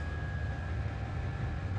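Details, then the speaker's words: Chinese diesel forced-air heater ("Webasto" type) installed aboard the boat Corail, running with a smooth, even low rumble and faint steady fan tone; fuel pump inaudible, normal running. "on entend pas du tout la pompe juste de voir assez content de mon installation"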